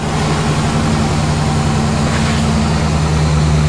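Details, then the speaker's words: Chevy truck 350 gas engine after diesel was mistakenly added, fuel line bled at throttle body feed: steady low idle with lumpy beat and irregular stumbles, blowing smoke rings; a couple of cylinders still missing. "little smoke rings that's telling me we got a couple cylinders are still missing on"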